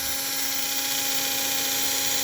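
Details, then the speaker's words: 1946 postwar Flyer chassis motor on about 13 V drawing about 1 A: steady high-pitched whine holds pitch, and amps don't rise when pushed hard; healthy motor with power under load. "And I'm pushing on it pretty hard, and the amps are not going up. So that's power. It's got the power."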